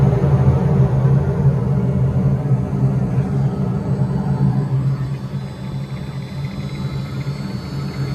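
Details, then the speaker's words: Furnace blower at self-storage facility (no-heat call): deep steady rumble with loose, uneven flutter about three times a second from the old, worn drive belt; technician decides to replace it. "We're gonna change that belt. I don't like that. Turn that off. I want to change the belt while we're here."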